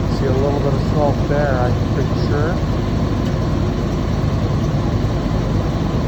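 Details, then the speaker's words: 1976 Chevy 454 big block, cold start at about -28°C (feels mid-to-upper -30s), block heater plugged in 1.5 h, charged battery, roughly 3-year-old fuel: deep, steady, even idle with no misfire or knock, little smoke, small exhaust leak near muffler; normal cold idle. "you plug in a big block, have a reasonably warm battery charged up, and even in the minus30s, a 1976 big block can roar to life. That's not a lot of uh smoke for such a cold day."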